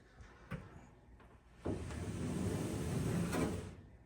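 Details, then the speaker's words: Whirlpool Duet dryer after refitting the idler pulley, not yet reassembled: drum rotated by hand gives a low, even rumble with blower wheel spinning and no squeak, as it should sound. "no squeaking your blower wheel is actually spinning that means you're in the right place so the whole drum is moving no squeak"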